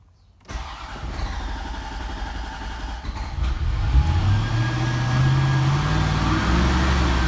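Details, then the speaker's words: 1991 Corvette ZR-1 LT5 with a starts-then-stalls fault, in neutral with the clutch in: fires after a short crank, settles into an even low rumble and revs cleanly, smooth with good oil pressure. Mechanically healthy; owner suspects electrical or fuel pump. "sounds good very smooth nothing good oil pressure"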